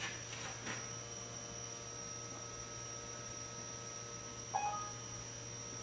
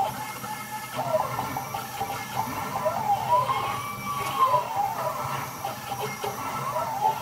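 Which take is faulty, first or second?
first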